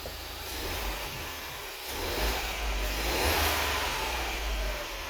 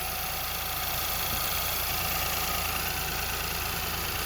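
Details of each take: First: Ford Fiesta, believed 1.0 litre, with lean code P2187 and engine light after refuelling: after the fix, idling in closed loop as long-term fuel trim comes down. A steady low hum under hiss with no stumble or hunting; normal, much-improved idle. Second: Ford Fiesta with lean code P2187, idling, heard under the hood: a faint, constant airy hiss, apparently near the throttle body. A vacuum leak; a dealer had wanted to replace the injectors.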